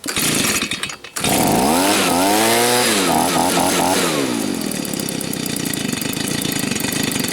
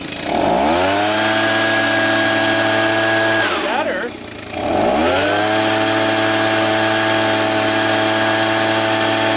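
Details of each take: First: Old Stihl leaf blower that wouldn't stay running, after carburetor cleaning and tuning, warmed up: after a few blips it pulls to a high, even whine and holds without fluctuating. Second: Old Stihl leaf blower being repaired for not staying running, warming up after carburetor clean and tune: small two-stroke holds a steady high buzz, dies, restarts and runs steadily, then cuts out; stalls, cause unknown.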